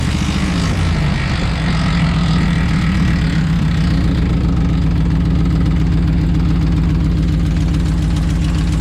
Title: Rattling Noise RAM1500 2011